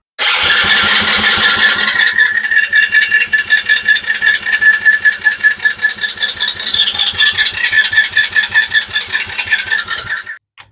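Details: Small Chinese kids' ATV the owner says won't run, cranked on a battery jump box to spin it faster. Fast, even starter cranking with a high whine and steady compression pulses for ten seconds, but it never fires: a crank-no-start.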